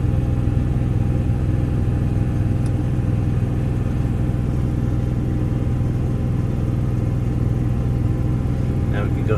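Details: Onan 5500 generator auto-started by a Victron Cerbo GX start/stop/prime relay setup: steady low drone with an even, unhurried beat and no knocks or misses, running smoothly.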